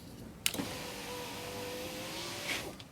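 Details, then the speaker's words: 2001 Volvo S60 2.3-litre driver-side power window after replacing the regulator sliding blocks; a smooth, even motor hum for about two seconds as the glass travels, with no popping or restriction: normal power window operation. "now the window goes up and down without any popping noise without any restrictions"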